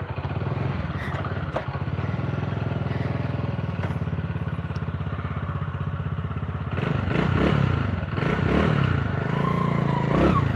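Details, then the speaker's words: Honda Win 100cc single after engine rebuild: uneven thumping at idle, then revs with a faint clatter left; much less rough than before but not perfectly quiet. "Dengan kondisi mesin yang seperti ini sudah nggak terlalu gemblodok ya teman-teman, nggak terlalu ya, dibilang halus banget ya enggak, Honda Win lah."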